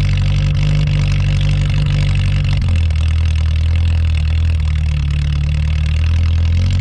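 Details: 1983 Toyota Tercel wagon (rescue car), usually a little stubborn, cold start at about -6°F wind chill in Pennsylvania after sitting a couple of weeks: catches quickly, fast idle settles to an even, deep, tractor-like idle with no misses or knocks; normal cold idle.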